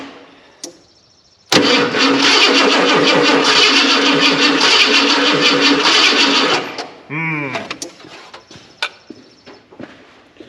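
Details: 1990 Ford F250, fuel-injected 5.0L, sat in a barn a couple of years, broken ignition switch, cranked by jumping starter terminal; steady cranking about three turns a second for five seconds, never fires, smells of old gas.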